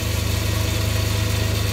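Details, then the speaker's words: Myford ML7 lathe during restoration, with the change gears driving the leadscrew power feed of the saddle and cross slide: a steady motor hum with a fast gear rattle, noisier with no grease, only old engine oil lightly brushed on the gears. "as you can hear it's a little bit noisier now and I don't have any greas on the uh the gears I've got some lightly brushed with some old engine oil"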